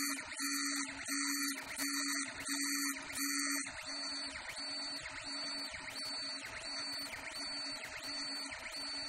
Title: Ender3 vibrations Help !